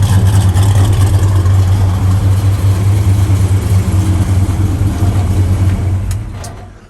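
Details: 1964 Chevelle Malibu, 350 small-block V8 with Edelbrock 4-barrel and 4-speed manual: a steady, even low rumble with a slight lope that settles and fades, no ticks or knocks. Alternator, belts and hoses are good, and it is a healthy idle.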